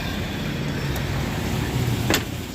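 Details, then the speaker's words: 1996 GMC Sierra C1500, warm idle after a drive, following the mass airflow sensor fix for sputtering and hesitation: steady, even low idle with no stumbles, brief outside noise. Small exhaust leak known; better than before. "so it's pretty smooth it's not bad better than what it was"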